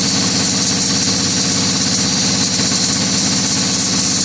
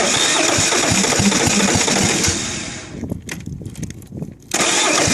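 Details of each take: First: Detroit Diesel 2-cycle, 2,389 cu in, idling after leaking fuel lines were fixed: an even, loud, crisp exhaust beat with a high-pitched 2-cycle tone and no misses, knocks or hunting. Normal idle. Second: Kohler KD425-2 diesel, cold start: it catches and runs ragged, dies, then restarts with an uneven chugging beat. It is losing fuel prime, and the owner suspects an air leak, with fuel running back through the filter.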